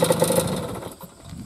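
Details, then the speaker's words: 1973 Suzuki TS50 Gaucho two-stroke at idle, largely original, with a new correctly installed piston: fast, rattly tapping over the engine, fading quickly; owner suspects a bad case of piston slap. "so it is new but i really think it's got a really bad case of piston slap"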